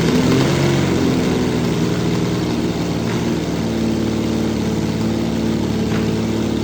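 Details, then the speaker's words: The 6th production Lamborghini's original V12, which hasn't run properly in a while and has some spark plugs not working. It idles unevenly and lumpily with a stumbling beat instead of a smooth hum. It is misfiring and not running on all 12 cylinders. "It's been a while since this car has run properly. So, what I'm going to do is do a few tricks to uh see if I can coax this into into on back onto 12 cylinders without taking the spark plugs out. even though some of them are not working."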